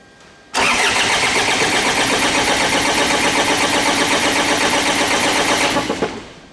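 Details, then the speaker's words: 2009–2010 Ford Ranger (Mazda BT-50) 3.0 L common-rail turbo diesel, rail pressure sensor signal faked at about 17 MPa with a resistor: steady cranking with no catch; injectors still not firing. "And that is also not firing injectors."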